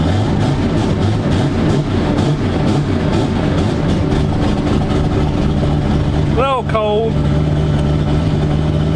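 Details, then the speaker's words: Car engine just after a starter swap (old stock starter cranked poorly), cold idle with water pump off to warm up: steady low rumble, even beat, slightly rough, no knocks; running good, owner unsure about another sound at crank. "Turn the water pump off until it warms up a little bit. Put some heat in them cylinders. But yeah, she running. It's running good."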